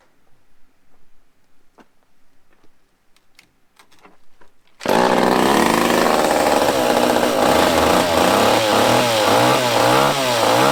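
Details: Used chainsaw with a broken-off bottom screw and a stuck starter rope, given fresh fuel and primed at the fuel line: after quiet handling it bursts into a steady high buzz with even revs and clean throttle blips. Normal running.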